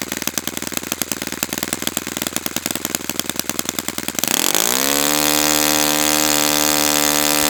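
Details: Brand-new Saito FA-100T twin, break-in run, restarted still warm without priming or choke; quick popping catches, then a steady, even high-pitched note without sag or misfire. Normal running, called spectacular.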